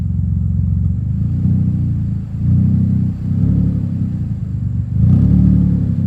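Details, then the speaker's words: Infiniti G35, warmed up, just fitted with a new exhaust, given light revs: deep rumble swelling and fading with a raspy edge; owner suspects most noise comes from a leak up front rather than the rear, not confirmed. "let's see what it sounds like pretty sure most of the sound y going to hear is actually not even from back here it's probably from oh up there"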